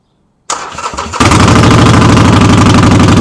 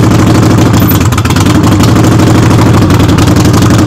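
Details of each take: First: Harley-Davidson V-twin, rear wheel jacked up in neutral after brake light switch repair: starter whirrs, engine catches into loud, loping idle with heavy metallic rattle on every beat, source unclear. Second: Harley-Davidson Sportster idling in neutral with the rear wheel off the ground, warming up before an oil change: a loose, lopey V-twin beat of about three pulses a second with mechanical rattle and no missing. Normal running.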